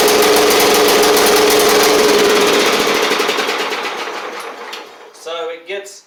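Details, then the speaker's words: John Deere L110 riding mower engine before repair: fast even putter for a few seconds, then sags and dies as it floods and smokes; owner suspects the carburetor flooding past the needle and seat rather than the recently replaced fuel pump. "so um that's what it does it runs good for a few seconds I don't think the fuel pump is the issue here I think it's the carburetor flooding past the needle in the seat"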